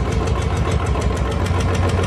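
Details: Royal Enfield Electra 2012 model, at idle: steady single-cylinder note with a light, regular ticking about six times a second, the tick-tick noise.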